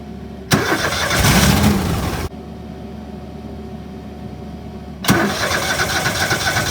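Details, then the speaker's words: Argo after sitting all winter, with new oil, filter and spark plugs. It catches, runs about two seconds, cuts dead abruptly, then restarts. A bad but not blown fuse was cutting power to the fuel solenoid; replacing the fuse fixed it. "So, now it was starting for about 5 seconds and then shutting down. Starting for 5 seconds and shutting down."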